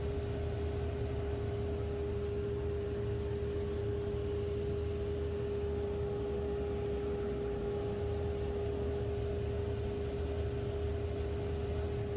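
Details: 2 HP DIY cyclone dust collector built from a modified Harbor Freight unit with a new impeller, wall-mounted blower box; steady even rushing roar, constant mid hum, no knocking or rubbing, cyclone action and excellent inlet airspeed; normal running.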